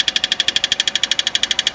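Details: 2005 Peugeot 206cc engine ticking: crisp, regular metallic tick about twelve times a second over little engine rumble; torque converter bolts were tightened with no change, cause unknown.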